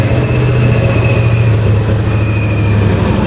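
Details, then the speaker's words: Ford Mustang GT V8 left rotting in a field, first start after reconnecting the intake and MAF and priming the fuel pump. Loud, deep, lumpy idle with stumbling pulses; it is misfiring but running, cause not found. "Give it some gas. Gas, gas, gas. There we go. It sounds like it's misfiring, but it's running."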